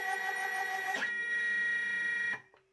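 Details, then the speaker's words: DIY CNC rotational axis used as stepper-motor micro lathe while drilling: high steady stepper whine stepping to a new pitch then stopping cleanly; normal drive noise, though owner must set feed rates carefully to avoid stalling. "i still have to get used to that noise it sounds terrible especially in the room where i am"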